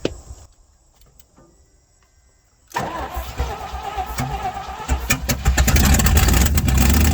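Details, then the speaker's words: 1967 Chevrolet C50 truck after nine years sitting: a few clicks, then cranks, catches and builds into an uneven fast idle after being given a little fuel; hard starting, seemingly fuel-starved, cause unconfirmed. "i don't know why the thing don't want to idle i'm start it up again now it does not want to start what's going on with you little buddy"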